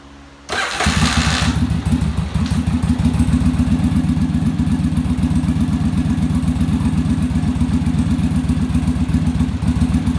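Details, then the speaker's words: Yamaha Virago V-twin after final rear-carb idle adjustment in the on-engine manometer sync: catches after a short crank and settles into an even, steady loping idle with no stumble; carbs balanced, smoother idle. "our idle's a lot smoother and then our acceleration i'll be a lot better because the carburetors aren't fighting each other"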